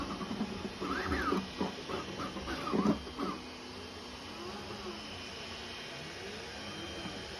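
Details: FLSUN V400 delta 3D printer running at up to 400mm/s after lubricating the carriage roller bearings with 3-in-1 mineral oil: fast stepper chirps and sweeping tones with no clicking from the carriages.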